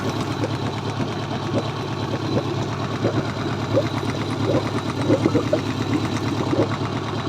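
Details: Mercury 90 hp four-stroke carbureted outboard, recently bought used, idling with a light, uneven metallic tick from the cylinder head: valve knock found after water flow was restored following salt damage.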